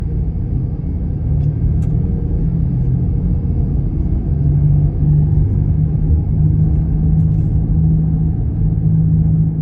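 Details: Low steady droning hum under road rumble while driving, from a bad wheel bearing; the tone changes when veering from side to side.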